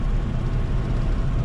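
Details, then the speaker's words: Custom VW Baja air-cooled flat-four, back on the road after about 5 years in a barn: even, deep rumble while driving with no misses or knocks; timing issue believed sorted and mixtures adjusted, running well. "We haven't gone very far away from home, but it's driving really, really well. That timing issue, I think we've got that sorted out and nailed."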